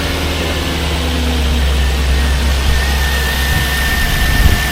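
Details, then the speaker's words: 2002 Jaguar XJ8 Sport (X308), non-supercharged 3.2 V8, sat outside for over two years, recently given a new alternator and battery. Deep, even V8 burble at tick-over with no timing chain or tensioner rattle on start; a normal, healthy idle. "That sounds fairly healthy, doesn't it?"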